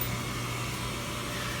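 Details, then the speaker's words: Slant-Fin VSPH-120 gas boiler just after thermostat call and zone valve opening, gas igniting to heat the water; steady low hum with soft even burner roar, no knocks, rattles or whistles – normal boiler operation. "yeah here's where the pressure ignites the gas to make a flame and then trying to make the water hotter"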